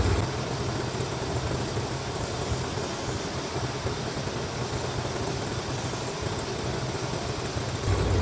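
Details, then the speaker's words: Chevrolet C10 farm truck, small-block Chevy with Holley Sniper EFI, propane test around the throttle body: smooth, even idle with no rpm rise or surge; no vacuum leak found, running fine. "didn't do anything sounds like Fred's running fine"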